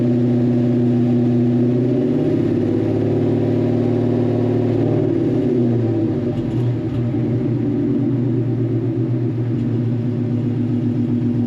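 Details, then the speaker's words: Foxbody restomod V8 idling with a deep, lumpy but steady, even note, running very rich. Exhaust leaks are present, but there is no knock or tick and it runs fine. "All right. But it looks like the exhaust is coming out the tailpipe. I have exhaust leaks that I have to handle. But, yeah, sounds good."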